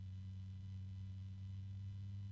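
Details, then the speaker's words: Blue Star PC case fan, claimed whisper-silent, at starting speed: steady low-pitched hum with faint harmonics over a quiet background; audibly noisy already. "And it's already a bit noisy. It's a very low-pitched noise, but it's there. A little bit of harmonics."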